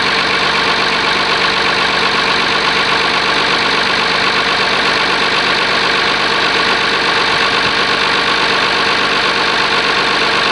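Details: Oliver 1850 diesel tractor, genuine cold start at about 45 degrees, preheater uncertain: steady, even idle clatter with no misses or knocks. Normal cold start idle.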